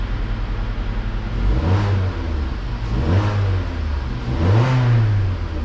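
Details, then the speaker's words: Vauxhall Insignia after a coolant temperature sensor fault repair, cold engine with gauge reading 50 degrees; three quick throttle blips, revs climb and drop cleanly with no knocking, missing or hesitation; running smoothly. "that sounds a lot better as well a lot more healthier no bogging on the button"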